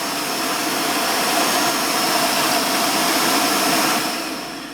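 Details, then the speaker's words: Vorwerk VK-140 Folletto vacuum after replacing a swollen control board capacitor that made speed drop: steady high whoosh at fixed even motor pitch through speeds one to three, then smooth spin-down; repair worked. "Speed one. Speed two. And speed three. It's working."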